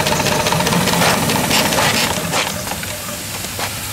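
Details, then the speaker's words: 7-1/2 gauge Clishay live steam logging locomotive, first run in a year, boiler hot, running forward and reverse: quick, even chuffs about four a second with steady hiss, no stumbles; normal running under steam. "That's the first time it's been running a year. I hadn't run it until just now. It's so reliable though, it just runs great."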